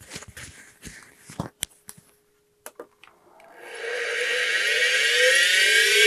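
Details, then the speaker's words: Old failed SCSI hard drive, already tested as bad, being powered on: after handling clicks, a rising whine and growing rough rumbling roar like a jet engine spinning up, sounding like it's flying apart. "just listen to how much this sounds like a like a jet engine powering up as I turn on the system and it Powers up this"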